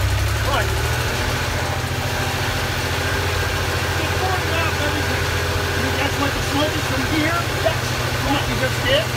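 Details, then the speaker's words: 1980 Porsche 911 SC flat-six, freshly built engine's first startup after building oil pressure; loose oil return line found, leaky oil hose fitting: steady, even low throb at idle with no knocks or ticking; idling cleanly. "sounds like a new car boy there's no kns in it"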